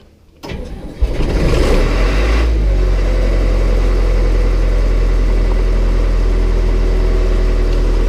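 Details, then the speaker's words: Hay equipment engine that had started all year suddenly refused; after wiggling a corroded battery cable and holding the oil-pressure safety bypass while cranking: short stumble, then catches and runs steadily; cause unconfirmed. "I wiggle the battery cable looks like it's corroded some and it's trying to start so let's see what happens I'm gonna try it again"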